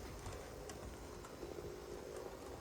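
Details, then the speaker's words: Chessie Proto 2000 HO scale model locomotive, ex-Baltimore and Ohio, first test run: soft, even hum and light track rumble with no grinding; smooth, quiet, a little slow. "There we go. Smooth, quiet, and a little on the slow side, but really nice."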